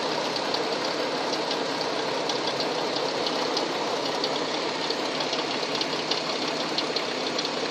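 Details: Hyundai Tucson at idle: light, uneven metallic tapping from inside the engine; engine knock, source not pinned down.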